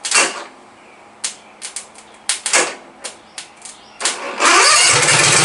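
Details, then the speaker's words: Lowered MTD race mower with 27 hp Briggs & Stratton V-twin, straight-piped, first run on its own fuel supply: sharp pops and sputters, then a loud, steady open-pipe run; healthy start. "it sure does run Good Marshall he don't like that he don't like that at all"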